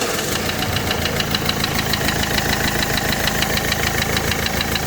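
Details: Renault Clio 3 1.5 dCi diesel, about 59,000 km, idling: hard, regular metallic knock about three a second from a spun crankshaft bearing; engine being dismantled.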